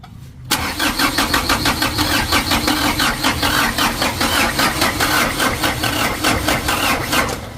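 Steady starter cranking at about four even compression beats a second with no catch or firing; air still in the injection pump.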